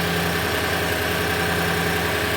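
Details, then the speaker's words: Toyota 5.7L (Tundra/Sequoia/Land Cruiser 200) idling after starter replacement, top bolt left off; heard from interior, outside and underneath: steady, even low hum, nothing rattling or vibrating, normal healthy idle. "okay from interior nothing at all that sounds totally normal the outside here totally normal and I don't hear anything at all down"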